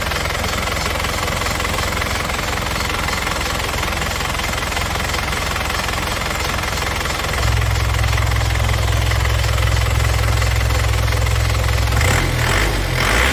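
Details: 2002 Isuzu Panther Touring manual turbo diesel with turbo timer, no oil seepage, idling after start: steady, even clatter with a firm low thrum, no irregular knocks or misses; normal diesel idle.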